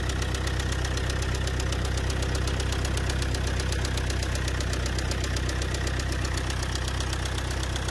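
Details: Car engine with four injectors at idle: heavy, even knock about four times a second, deep bottom-end sound described as bearing-like. It began suddenly with noise and shaking on acceleration and worsened to tapping with a bad smell from the rear. Injectors tested fine; mechanic suspects overspeeding; unconfirmed.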